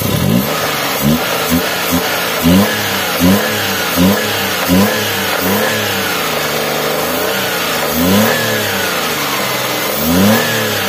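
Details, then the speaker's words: Daihatsu Xenia 1.0 VVT-i at operating temperature: throttle blips rise cleanly and drop straight back to a steady 900 rpm idle, no misses or knocks; normal revving. "yo langsung turun nah yo langsung turun 900 lagi"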